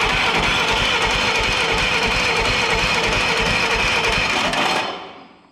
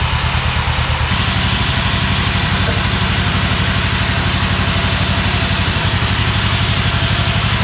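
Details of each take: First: Old Yazoo commercial zero-turn mower that sat in a barn for years: the starter turns it over steadily at about three pulses a second but it never catches; fuel is present but there is no spark. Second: Old Yazoo commercial zero-turn mower with a 76-inch deck, revived after years in a barn: even, deep thumping at about three beats a second, steady with no misses, as the twin now runs smoothly and healthy.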